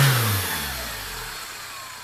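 As the revs drop off, a thin high whistle falls in pitch with engine speed above the exhaust rumble; that's the turbo whistling.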